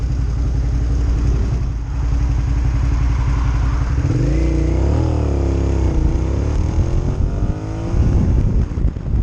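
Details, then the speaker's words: Motorcycle engine while riding: uneven stumbling note stutters and dips under throttle, one cylinder cutting out and stalling; owner suspects faulty fuel injector, to be replaced. "all right guys so you guys clearly hear that the four cylinder kept cutting out the bike kept stalling on me and one it's not safe and two it definitely needs to be fixed"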